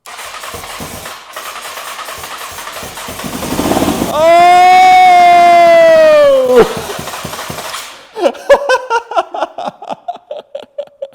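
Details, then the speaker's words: 2003 Honda CBR954RR, sat outside 15 years, first start on starting fluid sprayed in: cranking, then catches with rising howl for two seconds and dies into sharp pops, blowing carbon crud out of the exhaust; first fire. "did you see all the stuff pop out of the exhaust? Look at all the crud that came out of the exhaust here."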